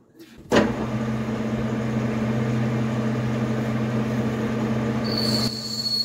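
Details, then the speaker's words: Lathe boring a brass blank with an 11 mm boring bar, 4 mm off the diameter: steady machine hum, then a piercing high whistle rises during the cut, boring bar chatter from vibration, before a neodymium magnet is applied to damp it. "Я думаю прекрасно слышно как он свистит теперь прикладываем магнит"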